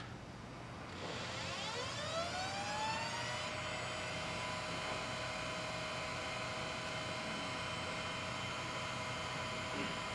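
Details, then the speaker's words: DLP projector found on the sidewalk, first power-on via side switch without front cover: fans and color wheel whir up in pitch over three seconds and hold, fans changing speed a couple of times, but no lamp light, flames or smoke. "you can hear some fans and maybe a color we all I don't see any light or flames or smoke which is nice heard the fans change speed a couple times"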